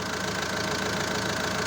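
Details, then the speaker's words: Renault 1.9 diesel, first start after engine rebuild, now with exhaust connected, engine on only two mounts so it rocks a bit; even idle with steady clatter, no misses or heavy knocks. Runs normally. "5F silnik 23 masz tylko na dwóch poduszkach Więc siłą rzeczy się troszkę buja ale chodzi normalnie"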